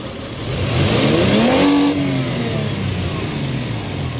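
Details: 2000 Toyota Tacoma 3.4 with P0171 system-too-lean bank 1 and lack of power at high speed, slow throttle snap while scoping MAF signal (peaked 4.196 V): revs swing up smoothly, fall back to steady idle without stumble; normal response, MAF suspected dirty.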